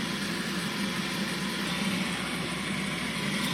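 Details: Bosch dishwasher: constant unchanging hum with no cycling or splashing, leak error; wrong circulation pump fitted a year earlier with joint sealed by glass sealant, now leaking into the base.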